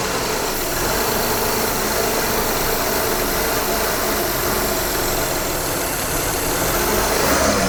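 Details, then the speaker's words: 2012 Honda Odyssey J-series engine started after reassembly from VCM spool valve oil-leak repair, engine cover off: steady run with loud airy hiss right after startup; large vacuum leak. "Ah, giant vacuum leak. Fix that. So, listen for hissing noises. If you hear a big one, look for a vacuum leak."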